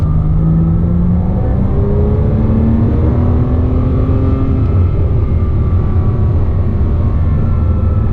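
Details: 2007 Porsche Cayman S, 45,000 miles, manual: a thin whine that rises and falls with rpm over heavy exhaust rumble, most noticeable around 3000 rpm, gone with the clutch disengaged; a worn water pump bearing, cured by replacing the pump.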